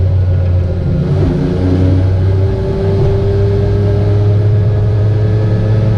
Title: Ape50 weird engine sound